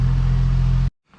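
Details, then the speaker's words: 1974 AMC Hornet first cold start after Holley Sniper EFI install with aluminum intake and new exhaust manifold: started first click, short burst of steady even low idle rumble, no misfire or knock; normal idle. "and he starts right up he just started right up for first click loving that"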